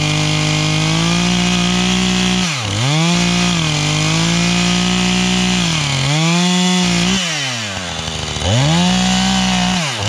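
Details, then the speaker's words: 440 two-stroke chainsaw bucking oak firewood on a chilly morning howls very high in the cut, dipping under load and flaring back shrill. The owner suspects a lean mixture needing carburetor tuning, not confirmed; it later died, possibly out of gas. "I got to tune it, though, because it's still That sounds too lean, right? It's just screaming too much. It's more than I think it should,"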